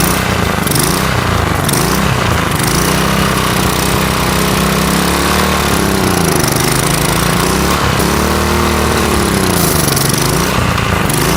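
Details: Single-cylinder lawn mower engine being built into a riced-out mower holds a steady, even beat with a couple of gentle speed swings; it is now running smoother, with some blow-by still expected before a blow-by test.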